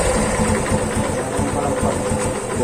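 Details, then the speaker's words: Yamaha FZ150 single after timing chain repair that cured top-end noise; even idle with soft regular firing pulses and no tapping or clatter, quiet and healthy where before it was "singing". "Yan mga brothers, tahimik na tahimik oh. Okay na. Dati kumakanta."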